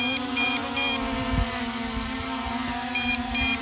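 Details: MJX Bugs 5W brushless GPS quadcopter, 7.4V 1800mAh LiPo; short high double beeps repeat in quick groups over music and motor hum, the low-battery warning that starts when the battery reaches 50%.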